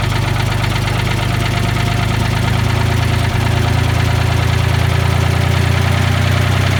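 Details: Old Ford forklift engine with updraft carburetor after patching its leaks with acid, pop rivets and epoxy: deep, steady idle rumble with even beat, no stumbling or hunting; idling cleanly, no leak.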